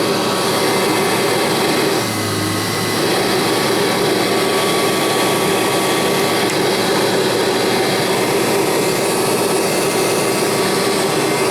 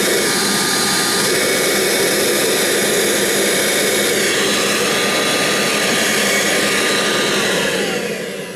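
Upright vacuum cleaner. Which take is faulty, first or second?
second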